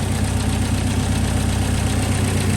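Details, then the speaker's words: Subaru Impreza WRX STI at its first start after turbo and up-pipe replacement: a smooth, steady idle rumble with the earlier exhaust leak now gone and no ticking or puffing. "Well, there she is running again. It sounds great actually. You used to be able to hear the awesome exhaust leak from in here. Now everything sounds nice."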